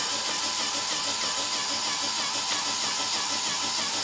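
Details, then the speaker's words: Fischertechnik pneumatic robotic hand's small compressor: a constant high buzzing hum with no knocks or pitch dips; pumping steadily and normally. "right now it runs fine"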